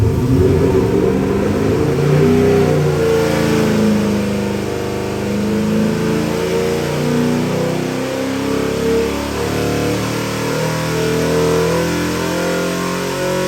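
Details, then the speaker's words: Ford 347 stroker V8 for a '63 Mustang, Eagle forged internals, AFR heads, MSD distributor, Holley multi-port EFI, about 493-496 hp, on the dyno under load: strong clean pull, smooth even exhaust note; healthy fresh build. "Let's fire it up, give you a run demo. It also makes some nice power, too."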